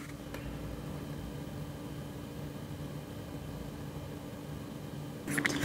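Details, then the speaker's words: Antec Vortex 360 ARGB AIO liquid CPU cooler, fans at 50% speed on a Ryzen 5900: even soft whoosh with a faint steady hum, no rattle or ticking; normal, fairly quiet. "okay then so this is the vortex 360 from antech this is the fans at 50% fan"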